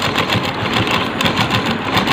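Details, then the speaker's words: Sewing machine after fitting an original Organ-brand needle, stitching thick jeans/pant cloth; quick, even rhythm about seven beats a second with no snags, and the thread no longer breaks as it did before. "हमारा हो गया। यहाँ देखिए ये आपका सिलाई कितना सुंदर है और ये कहीं भी धागा नहीं कटा।"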